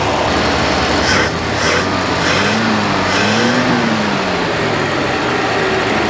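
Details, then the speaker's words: 1962 Dodge D300 straight-six, sat about 34 years, now fed by a fuel pump wired to the battery: smooth, even idle climbing cleanly through quick revs and settling back without misses; healthy. "all right all right man that sounds so good guys I'm super excited okay so that sounded good revved good it was good to go"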